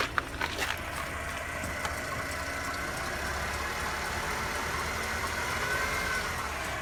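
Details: Mercedes W204 with M271 engine, cold idle: a light, uneven knock about four times a second over the engine hum; the owner asks for help and the cause is unknown.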